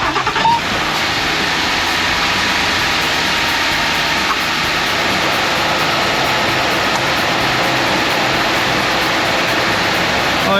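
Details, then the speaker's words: 2016 Ford F150 5.0L Coyote V8 after water pump replacement (failed pump, loose pulley, coolant leak, overheating): runs steady and even, sounds much better; cooling fans blowing full blast from overheat code. "sounds a lot better. All right, now because it overheated, I think it's got a code set, so the fans are still blowing full blast."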